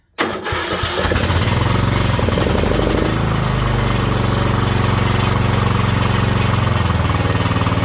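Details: Briggs & Stratton Intek 18.5 HP engine on a Yard Man riding mower, after a new carburetor, fuel filter, fresh fuel, air cleaner and spark plug, a valve adjustment and new oil: it fires after a quick crank, briefly runs fast, then holds a steady, even idle.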